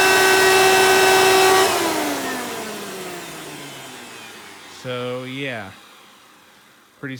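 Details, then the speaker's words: 1992 Hoover Elite II 650 upright vacuum, model U4689-910, in tool mode with hose attached (direct-air fan): shrill steady whine, tones gliding down as motor coasts off. Runs loud; owner suspects dry motor bearings, may oil them. "this thing does run a bit loud maybe i will have to do some things to the motor like oil up the bearings because this likely wasn't used with tools very much so when the motor speeds up it definitely is showing just how dry these bearings are getting"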